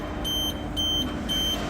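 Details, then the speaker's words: 28-metre machine after replacing a distorted rubber clutch coupling, clutch spinning freely: test run with motor and pump giving a steady, even hum with no knocks or rattles, under a repeating machine beep; sounds smooth, fine. "sounds good nice and smooth yeah looks good so I think it's going to be fine"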